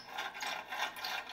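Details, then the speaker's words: Basement-shop bandsaw running: fast, dry, high-pitched chattering rattle, roughly five pulses a second. Owner says the bearings behind the blade are really loud. "yeah I've never been happy with its bandsaw yeah so the bearings are really loud behind the blade"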